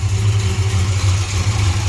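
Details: 1968 Chrysler Newport Custom V8 with Holley Sniper fuel injection idling at about 11–12 degrees timing while warming up to temperature; steady even low rumble, no knocks, misses or tapping; normal idle.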